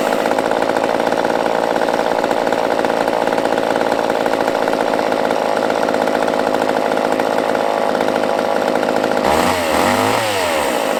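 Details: Used chainsaw with old fuel dumped, fresh fuel added, and the fuel line primed: steady, even high buzz with no misses or surging, pitch wobbling briefly at the end; running cleanly.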